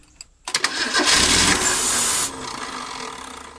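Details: 1980s Ford Durango abandoned 9 years, after cleaning corroded coil contacts: the starter turns over with an uneven beat about three per second, but it never fires; lack of fuel is suspected, and the old tank fuel smells bad.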